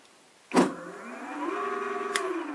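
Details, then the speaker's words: E-bike hub motor wired to controller (3 phases, 5 Hall wires), test with deliberately wrong wiring: sharp click then smooth electric whine rising and holding as motor spins, but wheel doesn't turn because the hub has an internal freewheel. "Alors, on entend le moteur, mais la roue ne tourne pas. Alors en fait, tout simplement parce que votre moteur roue possède une roue libre à l'intérieur."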